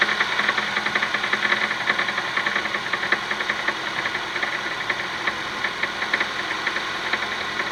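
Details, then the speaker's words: Honda Stream R20A cold start: fast light ticking, about two or three a second, over cold idle; knock on cold start, cause not yet pinned down. "Вот это вот. Тык-тык-тык-тык-тык-тык-тык, блин. Он отчетливо был слышен, да?"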